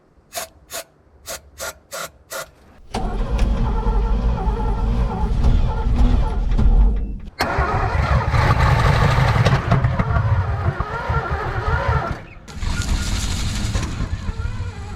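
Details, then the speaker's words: 1970s Chevrolet C-10 Custom sat 30 years, fed from temporary fuel tank on jump starter: short cranking bursts then rough uneven spells, never a steady run, jump starter cuts out. "We got a little bit of something there. Oh man. Right when it wants to start up, the dang jump starter cuts off."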